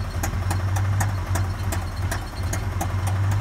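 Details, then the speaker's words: Engine after over-revving to redline while freeing the vehicle from mud: a lumpy idle with sharp backfire pops about every quarter second. Owner suspects a failed lifter or a damaged cylinder 1; it seemed to run fine with cylinder 1 disconnected. "damn she doesn't sound right i mean look listen to this oh the lifter might have given out that's the a backing up that's it's backfiring because it's not have that valve open"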